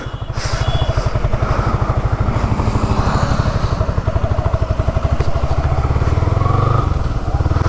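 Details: Single-cylinder motorcycle engine after engine noise repair: steady, even beat with clean firing pulses and no knock or rattle; normal engine running.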